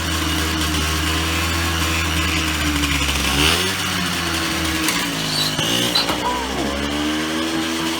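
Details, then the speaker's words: Yamaha QT50 (Yamahopper) 50cc two-stroke minibike during rebuild, first run on new custom stainless gas tank: buzzes unevenly, pitch sagging and surging; running rough, owner suspects carburetor or bad bottom-end crank seals not drawing fuel, unconfirmed. "Okay, so it is still running really weird. I'm not sure why. Maybe carburetor issues, maybe that the seals in the bottom end are bad and it's just not sucking up gas."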